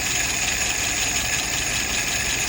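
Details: Restored, adjusted carburetor tested on a 48 engine: steady, even idle under loud airy hiss, about 660 rpm, fuel pressure 2.75, vacuum 23, at spec, no hunting; no nozzle dripping with float set correctly.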